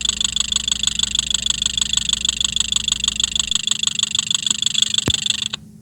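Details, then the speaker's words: Fuel injector heard at idle through an electronic stethoscope probe: crisp, evenly spaced ticking, steady in rhythm and strength; injector sounds normal, not the source of the rattling being hunted. "So ayun guys no, narinig natin yung tunog ng ating fuel injector. Ayan. So so far sa tingin ko okay pa yung kanyang ingay. Normal pa."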